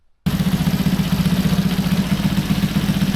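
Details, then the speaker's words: Honda C200 after a 12V conversion, with the exhaust loosely fitted, on its first start-up: the small single settles into an even putter of about four beats a second with no knocks, slightly smoky; a healthy idle. "she's running. She sounds pretty well."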